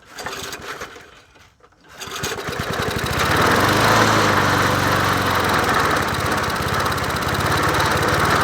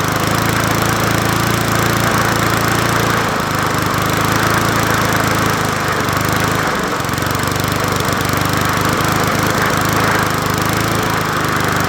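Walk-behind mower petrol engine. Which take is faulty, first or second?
second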